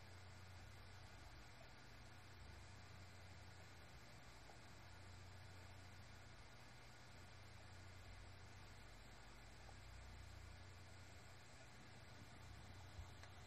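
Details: Seagate BarraCuda 8TB ST8000DM004 hard drive (10,325 hours, 2,118 reallocated sectors) after its SATA converter board was swapped for another maker's: very quiet steady hum with no clicks or scraping; the earlier abnormal noise stopped.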